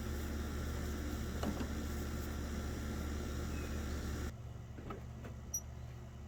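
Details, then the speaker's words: 2000 Chevy Tahoe Vortec 350, after fixing corrosion inside the distributor cap that caused crossfire and a crank-no-start: steady, even low idle with no stumbling or popping, then drops away quietly; engine firing cleanly. "so there we go he's running it's something just as dumb as a little bit of corrosion inside the distributor cap"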